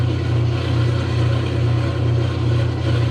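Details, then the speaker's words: Kenmore 90 series top-load agitator washer that had not been spinning in the spin cycle: steady low motor hum with an even swish about 2.5 times a second, spinning normally. It began working after the knob was cycled through the different cycles, with no repair made and the cause unknown. "don't ask me why i have no idea i played around with the knob going through the different cycles and all of a sudden it started working"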